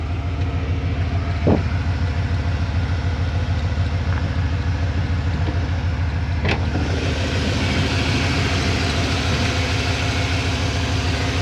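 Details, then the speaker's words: 1992 Ford F-150 V8 pickup, a farm find, idling: deep, even burble with a steady low rumble and no knocks or misses. Coolant slightly low. Normal smooth idle. "listen to this truck just listen to this engine beautiful beautiful engine"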